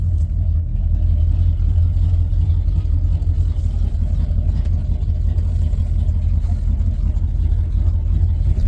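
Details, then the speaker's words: 1994 Ford F-150 V8 that shook in low gears, after replacing a bad fuel injector: a deep, steady, even rumble with no stumble or miss. Normal running after the repair, much better than before. "that's for [Music] sure yeah it's working out it's supposed to all right yeah it's so much better thank"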